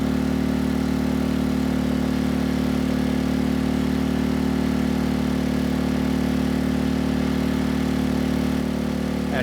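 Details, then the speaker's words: Sportsman GEN2200DFI dual-fuel inverter generator (Yamaha MZ80 clone), revived after a replacement ignition coil, carrying a 1500W load: a steady, even hum with no surging, misses or struggle. It runs normally under load. "1500 watts no issues to report you know the power quality that's not going to change based on the fuel but the horsepower will"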